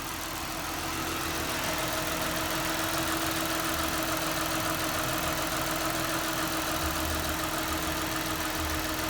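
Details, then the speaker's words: 2008 Mazda CX9 3.7L after water pump, timing chain components, belts, thermostat and valve cover gaskets were replaced: even, steady idle with a light ticking hum, no knock or misses; sounds like a smooth-running sewing machine. "and the engine itself sounds like you know a smooth running sewing machine"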